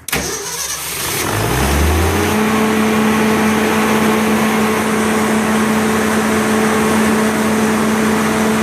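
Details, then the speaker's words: Onan 30EK natural gas generator with hard starting and shutdown with fault light after about five minutes; warm start: quick crank catches at once and settles into a steady even idle, clean warm start. "once it's warm when it's a warm start and we'll start right up not sure if it's warm enough to start right up now but we'll give it a shot"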